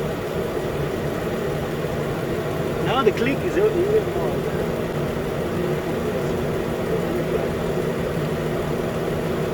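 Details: 2013 Nissan Pathfinder at 265k miles, idling after AC compressor clutch and serpentine belt replacement, new belt centered: steady even idle with soft low hum and a brief early chirp, nothing knocking; normal idle.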